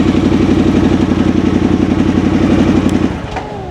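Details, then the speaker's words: 2022 Harley-Davidson Sportster S, in neutral, powers on fine but reluctant to start: rough, loping idle at about four pulses a second that sags and dies off; hard-starting problem, cause not identified, improved on later attempts. "the problem is trying to start it it just doesn't like to start"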